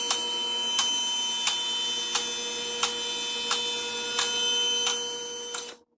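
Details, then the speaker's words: Vehicle lift rising toward highest point: sharp, evenly spaced safety-lock clicks about every two-thirds of a second over steady motor hum, locks catching normally as the lift goes up. "So we're going to go ahead and lift it up, and you're going to hear the clicks. I'm going to speed this part of the video up, but you're going to hear the probably high-pitched clicking."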